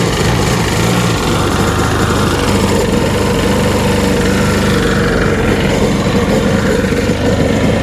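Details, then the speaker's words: 2003 Sea-Doo RXDI two-stroke watercraft, just fitted with a new starter: a loud buzz holds one low, uneven speed and never picks up. It is stuck in limp mode and running rough; the owner wonders if the spark plugs are fouling. "It's in limp mode. I wonder if those spark plugs are fouling."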